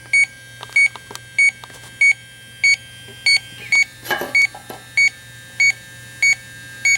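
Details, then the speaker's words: 2005 Chrysler Town & Country, repaired pinhole leak on the 5/8" rear AC suction line, electronic leak detector on its highest setting: steady high-pitched beeps about 95 a minute with no speed-up near the patch; no noticeable refrigerant leak. "Even on the highest setting, really not detecting any noticeable leak around this patch, so"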